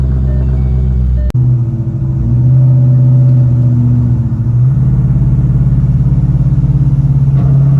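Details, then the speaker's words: Shelby GT500 with fresh motor and big cams, warm after a drive, owner chasing a hot-start issue that did not occur here: deep, loping idle with an uneven chop about three beats a second; normal cammed idle. "go ahead and let y'all hear the cams going chopping away uh car sounds phenomenal i love the way this car sounds"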